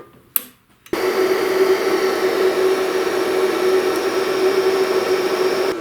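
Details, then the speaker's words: Bestarc MIG 145 welder (7th generation, 220/110 V): click then steady mid-pitched motor whir and even hum as wire is fed through to the MIG gun; normal wire feed. "So now what I'll do is turn the machine on and feed the wire till it comes out of the MIG gun."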